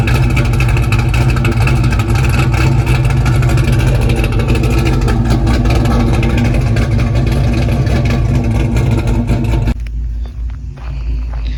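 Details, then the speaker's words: Pontiac GTO with a fuel pump problem, idle fuel pressure 50–55 psi: engine runs loud and rough for ten seconds, then sags as if about to stall, hesitating on throttle; owner suspects fuel pressure drops on throttle. "all right so I I think my fuel pressure is dropping when I hit the gas it's running good idle at 50 55 but I think it's dropping when I hit the gas"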